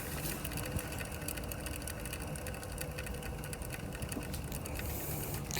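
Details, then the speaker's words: Renault Zoe electric drive motor, rotor turned by hand with a strap: rapid, uneven ticking from a worn end bearing. The bearing is suspected of wearing and overheating, causing heat damage and brush material inside. "You can hear that sort of ticking noise. Yeah, it's not going to make that noise. I think that's probably what's happened first, you know. It normally is this end bearing that goes."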